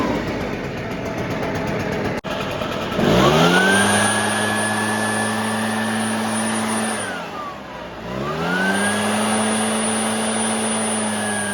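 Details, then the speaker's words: Cheap used Shindaiwa two-stroke backpack blower (broken kill switch wire), also smoking: revs to high steady scream with thin whine on top, dipping and climbing with throttle; high-pitched whine, cause not yet found. "all right it's making like a high pitched whining sound and it's fogging out"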